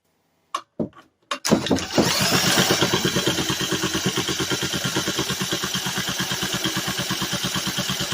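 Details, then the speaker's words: Vintage 1950s-60s one-horsepower Briggs & Stratton, sat 10+ years, primed with a squirt of gas and drill-cranked: steady rhythmic cranking with a few sharp pops, never catches; owner suspects insufficient fuel or air filter restriction. "Ooh, it popped."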